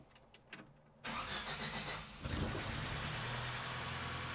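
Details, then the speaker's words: 1973 Toyota Hilux after a new alternator and cooling-system work, started to get fuel back to the carb and bleed coolant air: the starter cranks about a second, then it fires immediately into a steady, even idle. A clean start; slightly smoky. "okay she starts right up again I think we just needed to get fuel back to the carb get some coolant flowing"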